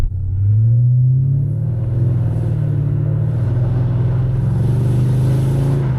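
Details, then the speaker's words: Mercedes E500 V8 accelerating after new engine mounts, flex joints and bushings: a deep booming drone swells and resonates through the cabin, described as like a boat engine enclosed in a cabin. The engine movement is gone. "Actually, it sounds like a boat. It sounds like an engine, you know, a bit enclosed in a cabin or something."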